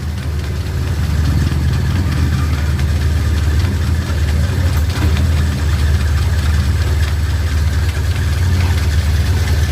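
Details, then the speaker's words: Carbureted Suzuki Katana idling after carburetor air and throttle screws were adjusted: low, even idle rumble holding constant speed without hunting or stumbling; engine now calmer, smoother and stable. "nah mesinnya akan lebih anteng ataupun terdengar lebih lebih adem atau lebih halus bekerja"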